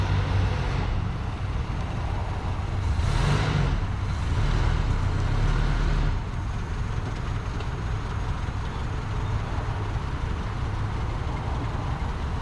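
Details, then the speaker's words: Abandoned 1973 Ford Pinto Squire wagon, first start after years, still smoking; owner suspects bad gas: deep idle drone with an uneven, loping beat and a few surges. It runs but rough. "y'all hear that i mean she is uh she ain't purring like a kitten but she's running still putting out a little bit of smoke not surprised didn't that that bad gas is gonna cause that"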